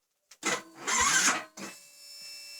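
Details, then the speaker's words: Yamaha Vixion fuel-injected motorcycle, key on then engine start: short rising whirr, louder burst, then a steady thin whine fading out; the fuel pump whining while the engine runs is normal. "kalaupun itu bunyi saat mesin menyala ini tuh wajar"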